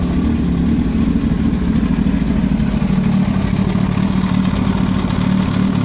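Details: Yamaha YZF-R1 at steady idle: fast, uneven ticking over the engine note, about three or four a second, an abnormal knock in the engine head.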